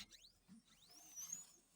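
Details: New scooter with 150 km on it: faint high-pitched chirping squeaks every half second or so. The source isn't found, and the squeak persists after applying used motor oil; it seemed like a rubber part.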